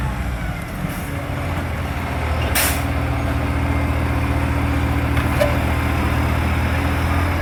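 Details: NAWMA FOGO 3520 diesel at a steady, heavy idle: a rough puffing chuff of about four per second rides on the low rumble, the sound of a large exhaust leak.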